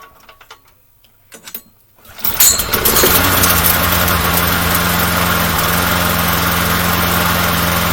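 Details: Small pull-start engine with primer bulb, after re-timing a gear reinstalled incorrectly during teardown: a couple of pull-cord tugs, then catches into a smooth, even, steady beat with no misses, smoking somewhat; normal running.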